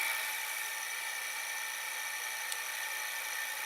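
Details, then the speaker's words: Daewoo-mechanism VCR that also has idler problems and eats tapes, as the mechanism turns. A thin, steady, unrhythmic high-pitched scraping hiss comes from the capstan motor, which has done this since the VCR was acquired in June 2013. Capstan motor rubbing. "So it has the problem with the capstan motor. The capstan motor is rubbing. Right now it's turning, but you can hear the capstan motor like a rubbing."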